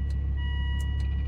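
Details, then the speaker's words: 2002 Volvo V70 2.4T after limp mode (P0068/P0221), first start after cleaning throttle body (ETM) and sensors, hood and tailgate open: smooth, even idle, no knocks or misses, chime in background; sounds better than before, likely fixed. "it actually sounds perfect actually sounds better than it did today I might have fixed it yay"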